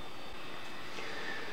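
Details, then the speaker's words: Netbook powered from a 12 V ATX power supply for testing powers up and its small cooling fan spins with a soft, steady whir, no rattle or ticking; normal cooling fan run. "I'm going to go ahead and hit the power button over here and you'll see it does power up. Give it a few seconds. You'll hear the fan."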